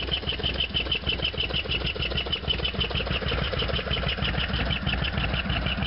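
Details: Harley-Davidson FXDX V-twin, warm idle after a cold start and half-mile ride; sharp metallic tick about three times a second over the idle, abnormal top-end noise, source undetermined.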